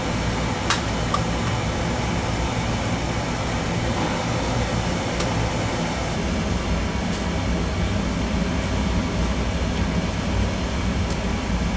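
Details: Old-style boiler with twin heating zones and hot-water zone, one circulator burnt out; steady even low roar and fan rush, no knocks, rattles or surging; burner firing normally with 120 V confirmed at the zone.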